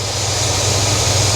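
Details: Cadillac with RV cam at a little over 800 rpm, A/C on with the compressor cycling on its cycling switch and the new electric condenser fans running constantly: a steady, even thrum under the fan rush, no misses or knocks. Normal idle.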